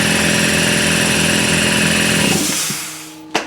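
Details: Garage air compressor on a newly wired 30 amp outlet and sub panel, first test run of a new shop air system with automatic shutoff: even motor-and-pump drone, then smooth spin-down and a clack as it stops; normal.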